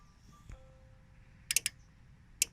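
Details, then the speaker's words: Nissan Navara D40, 52-inch LED light bar relay tested with fuse in by touching switch wires together: crisp single clicks a second apart; relay pulls in cleanly and works. "And the relay clicks. Perfect. Perfect."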